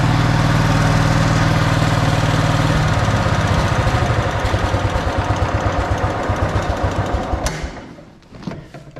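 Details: Snapper Yard Cruiser 42-inch zero-turn mower, first start after mouse-nest cleanup on a battery that sounded like it was failing: steady, even running, then slowing to a lazy regular thump and shutting off cleanly, blowing insulation junk out the back; normal running.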